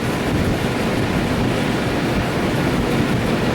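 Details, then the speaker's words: Freshly rebuilt 454 big block on an engine stand after about 15-20 minutes of break-in: steady, even roar with dense low rumble, no knocks or misses; runs well with great oil pressure, though a couple of leaks developed. "The owner was happy with it. He's like, it runs, it sounds good."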